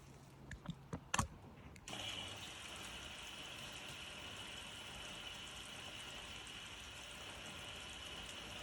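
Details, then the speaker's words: Indesit IWDE126 integrated washer dryer bought as faulty, first test on standard wash: steady hiss of water filling drum, motor never turns, then program stops and error lights flash; fills then stops, motor not spinning. "But after a while, I'll see a problem straight away. It's filling up with water and then stops."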